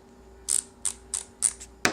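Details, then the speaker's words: Pittsburg Pro thumbwheel hand ratchet after oil was applied down the channel to get the ball moving: five crisp, light, even clicks at about two per second, free of grinding, so the ratchet now works smoothly. "they sound much better and will last a"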